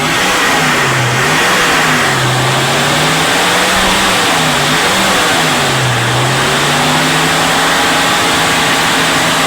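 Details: Maruti Suzuki Gypsy engine, after a misfiring ignition coil was repaired: revs rise and fall smoothly through several throttle blips, with no misses or stumbles.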